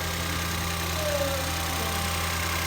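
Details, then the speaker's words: 2014 Ford Escape 1.6L first startup after head gasket replacement; steady, even idle with a smooth low drone and no ticking or knocking; normal idle. "A whole lot better. I didn't hear it when it was sick, but it sounds good now. Sounds fine now."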